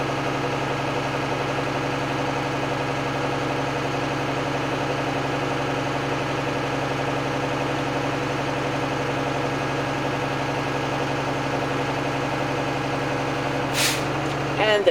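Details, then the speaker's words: Truck diesel idling with the window down during the pre-trip air build test, compressor pumping. A short sharp air burst near the end as the governor cuts out; spec is 120–140 psi. Normal governor cut-out. "Now I'm going to continue, roll the window down so you can hear the governor go off. That should happen between 120 and 140 for this vehicle."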